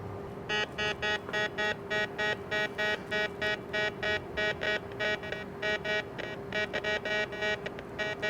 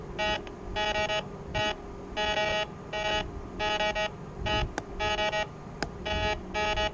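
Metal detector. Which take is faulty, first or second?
first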